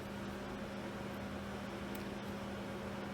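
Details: Bicycle disc brake after loosening the caliper bolts, pulling the brake and retightening to centre the caliper: soft, steady whir as the wheel spins, quiet, with no scraping or rhythmic rotor rub.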